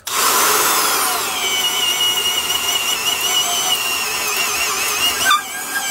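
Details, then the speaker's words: Porter-Cable 372 1/2-inch D-handle drill with 3.6 A motor, drawing 5 to 7 A in heavy use: high motor whine drops in pitch as the bit bogs down deep in a cut, yet keeps pulling through. "you could still hear it bogging down but it was pulling through and that's exactly the kind of situation that makes a tool actually heavy duty is the fact that it can be run bogged way down like that"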